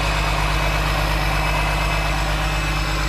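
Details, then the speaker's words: Long-dead old diesel engine with turbo, started without starting fluid after revival: loud, steady low diesel chug at an even idle with no misses or knocks; healthy running engine. "That's a good sounding engine. I'm not kidding."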